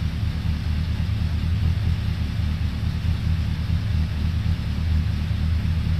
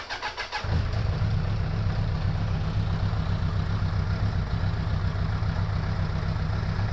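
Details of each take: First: 2002 Suzuki Bandit 1200S, stage-three jetting with pod filters, after fixing fuel overflow for a won't-stay-running complaint, not yet warmed up, mic moved further away: deep, even four-cylinder burble, steady with no misses, hunting or stumbles; normal idle. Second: 2002 Suzuki Bandit 1200S four-cylinder after fixing a vacuum-port leak: catches, then lumpy uneven idle with a missing pulse; still dropping cylinder number three, spark present, no fuel, number three carburetor likely at fault.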